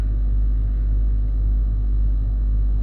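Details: Range Rover L322 3.6 TDV8 Hitachi air suspension compressor lifting the car off its bump stops after overnight sag (codes CA120-64, C1130-7A); steady deep hum with fast, even unfaltering pulsing, compressor pumping normally.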